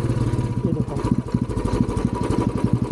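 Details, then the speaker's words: Royal Enfield Bullet Classic 350 single-cylinder on the road: uneven thumping with missed beats, misfiring and jerking, stalls by itself in neutral, plus a slight noise; taken to service for checks. "बीच में missing भी मार रही है अगर मैं neutral करता हूं तो अपने आप बंद हो जा रही हैय झटके झटके खा रही है"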